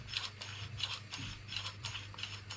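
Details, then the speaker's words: Fiat Grande Punto power steering angle and torque sensor unit, removed from the car and shaken. Loose, irregular light metallic clicking rattle; something inside is suspected to be broken, not confirmed. "it's broken or something inside."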